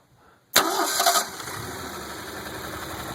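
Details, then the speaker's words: 258 straight six for a 1986 Jeep CJ7, with ceramic-coated header and Weber 32/36 carburetor, cold start: starter barely turns before it catches and settles to a steady, even idle with no misses; healthy. "starts right up good solid running motor this is the 258 straight 6 it is a beast"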